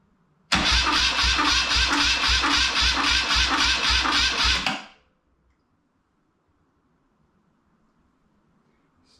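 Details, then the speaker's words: BMW R100 airhead first crank after full rebuild (new crank, rods, rings, seals, head refresh), small battery: even, brisk cranking at about two compression pulses per second for four seconds with no firing, priming oil to rockers; healthy cranking. "let's see that the little alliance battery is kicking her over nicely"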